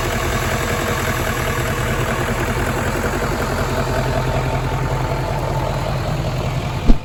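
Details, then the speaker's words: Paul's truck after replacing the bent number three cylinder push rod plus valve cover and fuel rail gaskets: starts right up and idles low, quiet and even with no valvetrain ticking; engine healthy. "put it all back together and starts right up and it's nice and quiet so that's a big hurdle"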